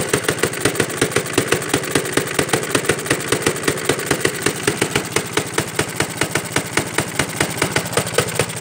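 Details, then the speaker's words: 1937 Johnson Iron Horse single-cylinder engine on a cold start: sharp firing at about three beats a second with a loose, rattly clatter each stroke; owner suspects loose parts, mechanic suggests valves not seating. "that's enough reason I think the reason why it sounds like that it's just because the the parts under you ain't like tight"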